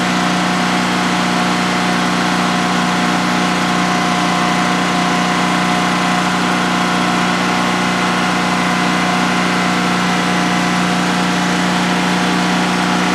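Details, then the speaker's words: DuroMax XP15000HX generator, the replacement for a dual-fuel XP15000EH, running on propane in a shed with the exhaust fan off during a 5-minute test on its second start. Constant, even drone with a steady hum, no surging, misses or knocking; normal running, no issues. "wow and that was a a 5 minute run to see how it's just make sure everything is running well and everything is running well no issues"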